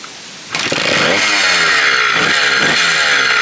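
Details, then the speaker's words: 1987 Kawasaki KDX80 two-stroke being restored from non-running, fresh two-stroke mix, kill switch broken: revs up and down crackly and uneven, never settles to steady idle; idle circuit not fully working, though runs enough. "most of them don't idle right"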